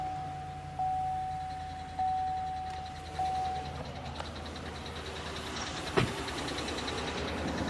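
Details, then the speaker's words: GMC V8 known for failing lifters, at start-up: faint quick ticking with a thin whistle on top, consistent with lifter tick; engine to be torn down for new camshaft and lifters. "So, we're going to go ahead and take this engine apart and uh show you all what this looks like on the inside. what actually fails and why it makes that noise."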